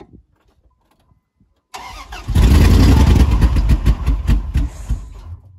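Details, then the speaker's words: Hard start on a truck that only starts with the gas pedal floored: brief cranking, then it fires and revs lumpily with surging before fading, with backfiring and loss of power. Owner suspects the timing slipped a tooth or two. "I'm gonna start the vehicle and let you see what it's doing um I have to pretty much hold my foot all the way to the floor to even get it started on the gas pedal"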